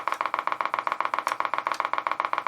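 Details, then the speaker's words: Kriesler 11-20 valve radio powered up. A steady putt-putt of about eight even pulses a second from the speaker: motorboating. Bad capacitors are suspected. "yeah we've got some life motorboating well okay let's turn it off I didn't like that"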